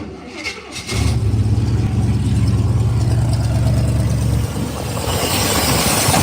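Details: 1982 truck with Sniper 2 EFI and Hyper Spark, cold start in park with emergency brake on after fuel pump primes: short crank, fires instantly, holds a strong, even V8 idle before a light rev; healthy start.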